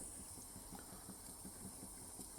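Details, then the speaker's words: Wilesco D455 toy steam engine on two fuel tablets running slowly; quiet regular chuffs about three a second over gentle hiss; worn engines stop as pressure is turned down, so slow running shows it is unworn; needs some oil. "think it's always a good sign good sign of how good the engine is because a lot of steam engines when they're worn, they won't run slow."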